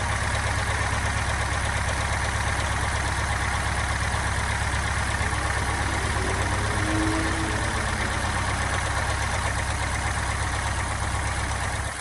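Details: Subaru Impreza STI boxer idling; uneven low knock about three a second over the rumble, owner suspects piston slap, not confirmed.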